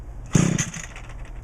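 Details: Echo GT2000 two-stroke line trimmer with a replacement carburetor, sat weeks in hot humid weather near 90°F, full choke at half throttle: two quick pulls, each giving a short sharp burst of firing, catching readily. Normal cold start on full choke.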